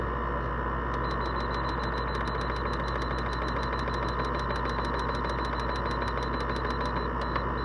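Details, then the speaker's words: LG window air conditioner in cool mode with the compressor kicked in, fading in after a second or two and blowing really cold air: a steady, even hum from the compressor and fan with a faint regular tick; it sounds normal. "you hear that noise it makes that's compressor page in like it usually fades in after like a second or two"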